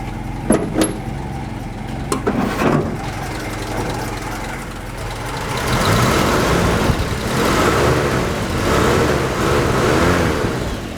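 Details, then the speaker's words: 1954 Plymouth Savoy six, carbureted, dual 6-volt batteries, hood open: starts, settles, then smooth throttle blips; even, quiet running like a sewing machine with no knocks or misses. "it's like a sewing machine guys smooth you can't even see the engine moving hardly except for the ignition coil wire"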